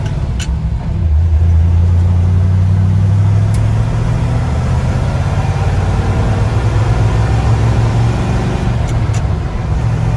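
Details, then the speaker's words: Truck after swapping Eaton axle with 4.56 gears for 14-bolt with 3.73 gears, about 50 mph just over 2000 rpm: steady low road and engine drone, no gear whine; quiet healthy rear differential. "engine's uh crystal hair over 2000 rpms the truck is so much quieter it's crazy this is definitely worth it it runs so much smoother"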